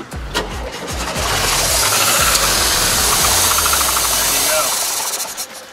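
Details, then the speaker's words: VW Westfalia camper van not started in 14 years, run on straight gas poured into the two-barrel carburetor: cranks, catches, runs briefly with rough roar, spark present, no knocks; engine sounds good. "we got we got spark motor sounds good i don't hear any knocks"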